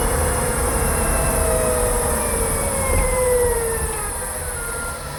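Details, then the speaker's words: Kia e-Niro electric motor while slowing: faint high whine falling in pitch over tyre and road rumble, not a rattle; more noticeable with windows open near walls; owner unsure if normal, cause unknown. "It has a funny sound, even with the new electric motor. It's not rattling. It's a new motor, but it's not silent."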